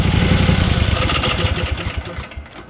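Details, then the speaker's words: Small air-cooled engine after carburetor and fuel system service: fires and runs with a fast, even putter, then winds down smoothly; no misses, runs as well as before. "let's see fuel on yeah it runs just as good as it ever"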